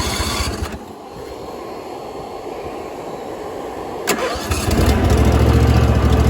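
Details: Small engine after replacing factory throttle assembly that kept slowing, choked by hand: pull start catches after a few seconds and settles into steady, even run with no surging; running normally.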